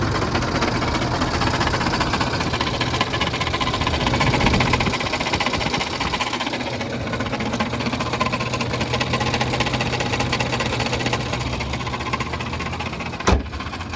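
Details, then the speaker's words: Car at idle with no check engine light: fast uneven metallic clatter, two or three per second, rattling pretty good, quiet while driving; owner suspects the timing chain plus a separate fuel problem, not confirmed. "when you get out you'll be able to hear it but it's rattling it's rattling pretty good I'll pull off to the side here give you another listen"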